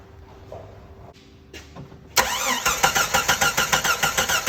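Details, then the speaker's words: 1997 Jeep Grand Cherokee 4.0 inline six: starter spins the engine evenly at five or six beats a second but it never catches; crank no start, no spark at the ignition coil. "oh we got no spark this ignition coil right here is where i was just checking spark at from right here"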